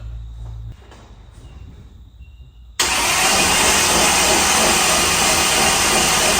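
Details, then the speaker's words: Alcohol blown race car cranked on the starter with spark plugs removed and CRC sprayed into the hat: fast, smooth, even whir with no compression pulses; spins quick and sounds funny because there's no compression. "Now literally put power to the car, hit the starter, you'll hear and see it wind over, but it'll sound funny and it'll go quick because there's no compression because there's no spark"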